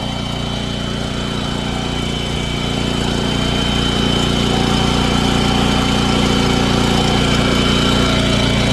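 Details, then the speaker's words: Lincoln Bulldog 5500 welder's small single-cylinder engine after carburetor cleaning and a new power switch: steady, even running with no misses, surging or knocks. "I'm going to go ahead and make sure it works so I'm going to crank it up right quick now we're good to go"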